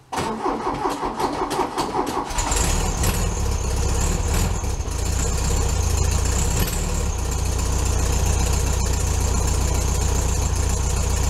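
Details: VW Beetle cold start at about 15°F on a snowy morning: brief crank then steady even low idle; normal healthy cold start and idle.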